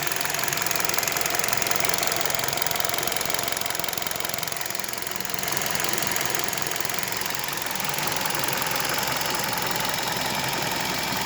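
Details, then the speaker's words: 2015 KIA Rio, fully warm, idling about 1000 rpm: sharp regular tick about four per second above idle, owner places it near cylinders 1–2, disappears under load when pulling off; cause unknown, exhaust even. Ticking knock. "но точно стук и так принципе где-то вот в этом районе во-первых первый цилиндр второй цилиндр это в этом ранее"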